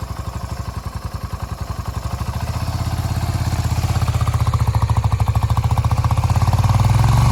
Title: Big vacuum leaks